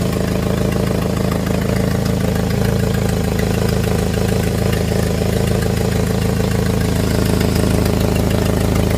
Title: Jeep engine with exhaust leak